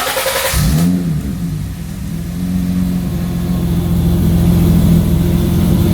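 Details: BMW E30 that had randomly died, started after the fuel pump was confirmed running via a relay jumper wire: quick crank, then fires and runs with a steady low drone rising gently as it revs; healthy start.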